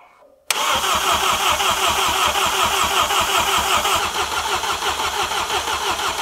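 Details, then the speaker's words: Freshly rebuilt VW 2.0T TSI in MK6 GTI, cranked on jump box without starting to prime oil: click then even, regular compression pulses; compression sounds balanced. Later no-start traced to bad fuel pump. "so we're just gonna crank it right now to get that oil running through the system yeah sounds like it's got compression"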